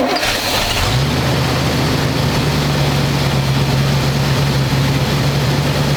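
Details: 1985 square body truck, 454 big block V8, 4-speed, sitting 20 years, running after air cleaner and vacuum lines refitted and idle screw adjusted to touch throttle: catches and settles into steady, even low idle, no misses or knocks. Normal smooth idle.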